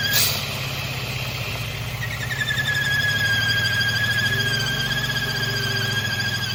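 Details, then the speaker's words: 2011-2015 Mercedes M276 V6, warm idle, car in limp mode: a thin steady high whistle over the idle after a brief clatter that goes away when the oil cap is removed; PCV fault, external PCV housing replaced. "That sounds awful, doesn't it? Well, I think I figured out what it is. You see when I remove the oil cap like this, it goes away."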